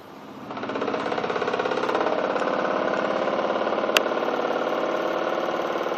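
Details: Newly bought Miele washing machine (post-2014 body design) on a non-concrete floor, 1.6 kg dry laundry, noise began after 2–3 weeks of use: rhythmic pounding about 3.5 beats a second building as the drum spins up; heavy vibration on spin, weak plastic connectors suspected.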